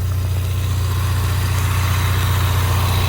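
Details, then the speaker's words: 2016 Ford Mustang EcoBoost direct-injected four-cylinder, which a shop called junk, at idle. Steady, even low idle with a smooth rhythm and no knocks or misses: a healthy engine. Its old spark plugs are clean brown. "But what's happening here is this engine is direct injected and a direct injected engine doesn't have any vacuum in the intake. So it can't pull all of that out like the older cars."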